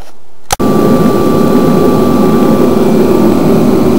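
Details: Forced-air kerosene shop heater in about 46–50°F shop: after a click, a steady even roar with a faint constant whistle; burning normally.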